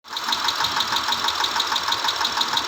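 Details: 2010 Mitsubishi Pajero 6G74 petrol V6 at idle; sharp steady knock about six times a second over the idle, engine knocking.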